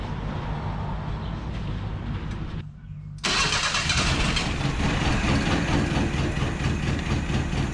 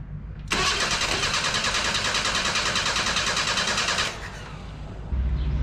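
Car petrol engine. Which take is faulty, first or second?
second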